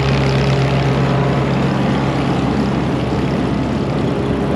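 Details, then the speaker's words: Massey Ferguson 82 combine bought at auction, being revived: separator engaged and running. Smooth, even drone with a steady low hum and no knocks or rattles; very quiet and healthy. "It's just so quiet. What a deal. I love stuff like this when it works out."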